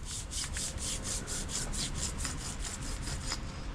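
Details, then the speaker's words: VW Scirocco R abandoned on a farm: a harsh, gritty rasp pulses about four times a second as the wheel spins, from a badly worn wheel bearing that is meant to be silent. The bearing was replaced with a new one. "oh wait that's literally like oh yeah that is awful and that is meant to sound well like nothing it's meant to sound like that The Sound of Silence right"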